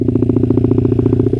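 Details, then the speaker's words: Honda CRF50 after carburetor work: a quick, even, steady idle with no misses or hunting. It runs well at idle but breaks up at high revs. There is no white smoke, and the owner is unsure whether the main jet needs more or less fuel. "Not bad at all. It idles all right."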